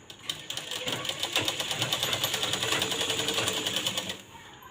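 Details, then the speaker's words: Sewing machine after an at-home fix for loud running noise, poor stitches and thread breaking: crisp, even stitching clatter with no knocks or grinding; the noise is gone and the stitching is now perfect, so normal running. "बघा मला किती जोरात आवाज येत होता आता अजिबात आवाज येत नाही बघा आता आपल्या मशीनचा आवाजही कमी येत आहे आणि शिलाई आपली व्यवस्थित व्यवस्थित आलेली आहे"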